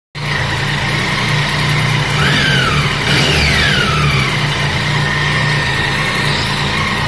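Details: Triumph Tiger 800 three-cylinder at 26,000 km, 20,000 km valve service skipped, engine warm: faint ticking over a steady engine note. The owner suspected valves; the dealer mechanic said it is a characteristic of the three-cylinder engine.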